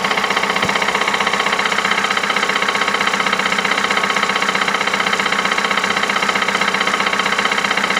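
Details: 2008 Ford Mondeo Mk4, 2.3 L engine, 203,000 km: sharp, regular knocking at about two per second over a steady idle, persistent; internal engine knock of unknown cause.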